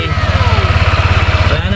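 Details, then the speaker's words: Yamaha Aerox scooter, first start after repair of a loud engine tick: an even, steady single-cylinder putter at idle, about fifteen soft pulses a second, with no tick left, now quiet and healthy. "ito na yung ginawa ni brom elvin kung gaano katahimik yung ginawa ni sa motor natin"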